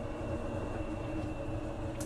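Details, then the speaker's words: Kenmore top-load washer, model 110.20022013 (made by Whirlpool), complaint of being off balance and shaking violently, blamed on bad shocks; diagnostic-mode spin test: clicking, then a steady, even spinning hum with no banging; normal spin cycle. "Over here should be the spin cycle. You gonna hear like clicking noise, and it should go to the spin cycle. There we go. You can hear it spinning."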